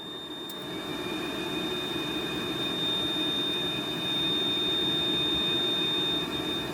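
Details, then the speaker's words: Yanmar VIO55-5B excavator cab blower fan just replaced after failing, key on: a shower of dust, then steady rushing airflow with a thin, constant high whine, stronger than ever before; normal blower fan operation. "Wow. It's never been a breeze like that before. Not while I've had it."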